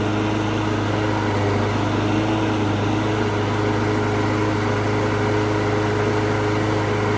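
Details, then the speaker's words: Governed lawn mower engine during a DIY tune-up: steady single-cylinder drone, pitched a bit low. The tachometer reads about 3100 rpm against a 3250 spec. "So I want to set the RPMs on it. It needs to be set about 3250. It sounds like it's a little bit low, around 31-ish."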